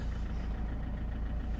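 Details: 2003 Peugeot 307 2.0 HDi diesel idling just after starting with a newly programmed transponder: low, steady idle holding an even beat without stumbling or rattles; a healthy running engine.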